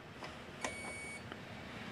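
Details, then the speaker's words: Portable generator, multimeter continuity test from neutral to ground on the 120 V outlet: a steady high beep of about half a second shows neutral and ground are bonded. "this time you can hear the continuity and hear it beeping so this one this one's bonded so my neutral and my ground are connected together"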